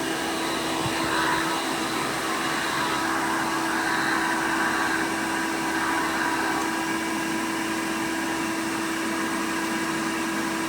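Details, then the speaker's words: 1990 Hoover Elite 200 U4467 upright vacuum with attachment converter: steady motor whine with hissy airy edge around the tool connection; converter poorly sealed, leaking air and reducing tool suction. "this thing isn't sealed too great so that is another reason why this doesn't have very good tool suction i mean you can hear it leaking all around there"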